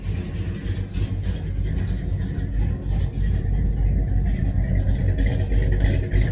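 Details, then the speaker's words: 1966 Dodge Charger aluminum-headed 383 V8, big cam, headers, new Holley 4150 double pumper being tuned: deep lumpy idle with steady lope about three pulses a second, even and settled; a touch rich at idle, idle screws being leaned. "it's a touch rich and idle i think i'm going to try to lean it out just a little bit burning my eyes just a little bit stand behind it"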